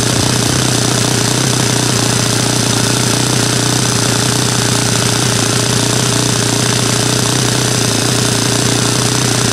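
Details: Saito FA-100 glow four-stroke after rebuild (new bearings, gasket set, tappets; exhaust tappet was mushroomed), APC 14x6 prop, Omega 10% fuel, OS F plug: loud, fast, even buzz at steady speed with no misses, surging or rattles; healthy.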